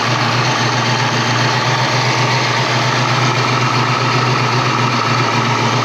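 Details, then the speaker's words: 1988 Saleen Foxbody Mustang V8, fresh motor with Trick Flow 170 heads, Kenne Bell supercharger, Megasquirt ECU: idle with an uneven loping beat; misfire, pyrometer showed cylinders 5 and 6 running cooler; plug wire suspected, later traced to the Megasquirt setup. "That cylinder is not firing very well."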